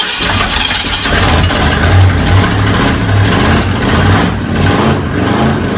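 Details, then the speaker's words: 1969 Ford F100 V8, sat for years, just revived after engine work and running on open pipes: loud, uneven burble with a deep low throb; freshly started and running well. "Woo! Man. That sounds good, dude. Finally, this truck is alive. It's alive."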